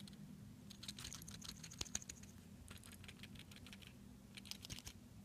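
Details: Seiko SNK809 automatic watch with 7S26 movement: light, irregular ticking and clicking bursts as the watch is moved, a rattling noise from a loose rotor.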